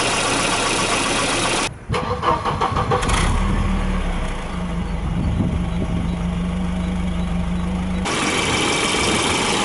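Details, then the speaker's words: 1992 Volvo 940 GL, B230FB engine with 531 head, cold start: cranks and catches, then settles into a cold idle with a dull, uneven knocking under the hum. Piston slap that quiets as the engine warms. "so now with the motor cool i should be able to show you guys the piston slap i was talking about"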